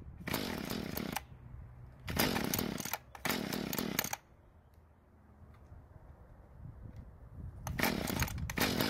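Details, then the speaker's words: Mantis two-stroke tiller, free, had leaked gas and wouldn't start: fires in short raspy bursts, stumbles and dies, only runs mostly choked and dies when revved; lean, not enough fuel at low speed, before carburetor L-screw adjustment. "So it finally started, but I had to keep it mostly choked, and also when I tried to rev the engine, it also died. That means that the engine isn't getting enough fuel to start properly, and not enough to rev up either."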